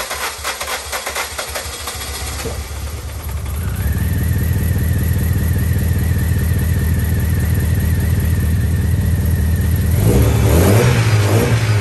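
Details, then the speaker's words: MG ZR petrol engine with a long-standing starting problem (sensors changed, timing checked OK, no ECU light or codes) cranks laboriously for about two seconds before catching, then holds a lumpy, unsettled idle; hard starting and rough running, cause unknown. "as you can see it's a nightmare to start it doesn't run very nice so something's untoward"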